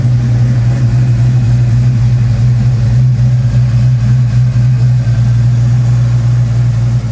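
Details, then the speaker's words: Fox Body Mustang 351W stroked to 358, Comp XE276HR-12 cam, Edelbrock Street heads, ported Cobra intake, 30 lb injectors, 75mm MAF, about 20° base timing: deep loping idle, uneven throb about twice a second, no knocks; owner suspects running rich, unconfirmed. "i don't know if that has anything to do with how rich it's running"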